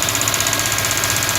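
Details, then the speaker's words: 2002 Ford Mustang GT running with a fast, even ticking knock, almost like lifter tick, steady in speed; radiator fan with a cracked blade wiggling and hitting, noise stops when the fan connector is unplugged. "okay 2002 mustang gt making a whole rack a lot of noise almost sounds like topics but it's not just happening look at that fan"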